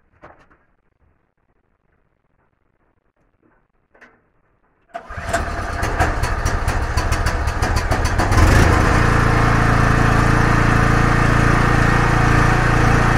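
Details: Small generator, claimed 5500W but at least 1.5kW, pull-started and feeding household load through a multi-socket; the engine settles into a steady, even drone that holds firm as the load comes on, running healthy.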